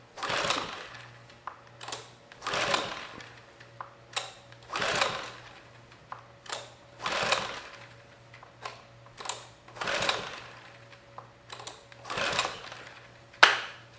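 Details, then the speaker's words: Sportsman GEN2200DFI 1800 W dual-fuel inverter generator (Yamaha MZ80 clone) on propane, after ignition coil replacement, choke on and off: repeated recoil pulls about every two seconds, quick whirr and rattle, no firing; no start, cause unknown. "and we get nothing so we had no signs of life trying to start this on propane"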